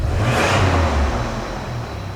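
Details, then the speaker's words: 1999 Toyota Tacoma after replacing the failed cylinder 5 fuel injector (P0305 misfire): quick rev blip rises cleanly and falls smoothly back to a steady low idle with no misfire stumble; engine runs right after repair. "Oh, wow. Fires right up and it idles completely smooth. Absolutely perfect."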